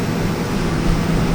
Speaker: If you want to force it to go to high, turn to high, and then the fan will come on high.